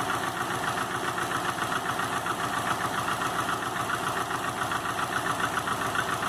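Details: 2005 Subaru Legacy GT with rebuilt refurbished block (new crankshaft, bearings, used rods/pistons, used heads with new valve seals, used VF40 turbo), warmed-up idle at 22 psi oil pressure: light regular tapping knock two to three per second over idle; cause not found.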